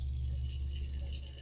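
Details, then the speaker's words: Garbage disposal run with water after wiring its switch beside a constantly powered outlet in a double-gang box; steady, even low motor hum with no grinding or rattle; working normally. "and it is working fantastic. Works."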